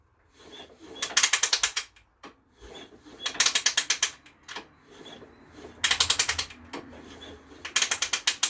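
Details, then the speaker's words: Project motorcycle with a temporary engine freshly fitted in the frame, spark plugs out, ignition off, oiled, slowly turned over on the kickstart: quick even ratchet clicks, sensible resistance, no bangs or clunks; kickstart mechanism working normally. "sound sensible resistance no bangs no clumps Kickstart mechanism appears to be working"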